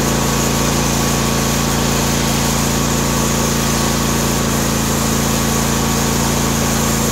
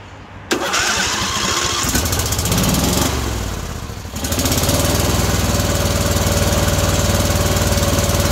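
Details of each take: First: John Deere D130 mower V-twin after ignition coil replacement: even, steady hum at constant speed with no stumbles or skips; engine runs cleanly. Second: John Deere D130 mower V-twin, during ignition coil replacement with magnet gap set by two business cards: after cranking it settles into a lopsided, choppy beat; only the right side firing.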